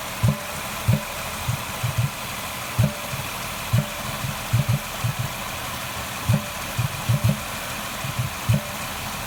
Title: Ford Escape thumping noise at air intake